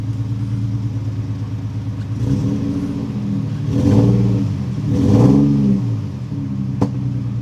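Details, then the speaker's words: 2008 Nissan 350Z, after reconnecting an unplugged fuel injector: uneven, stumbling revs with rough pops on each rise; it is misfiring and backfiring, with no improvement and the same codes, and the owner suspects the upstream O2 sensors. "starting to backfire now it didn't really make much of a difference which is surprising because I mean the injector was not plugged in at all"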